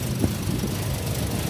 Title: ROUGH IDLE / IDLE UNSTABLE / TOYOTA VIOS SUPERMAN 2017 AT.